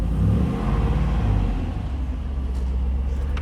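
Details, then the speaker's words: Normal running of a 6-liter GM LS2 V8 from a 2007 C6 Corvette, swapped into a Land Rover Discovery with a custom exhaust, started briefly with no water pump running yet and no intake fitted; deep, even V8 rumble with no ticking or knocking. "So pretty cool, and with this exhaust system that's put together for it, sounds pretty good."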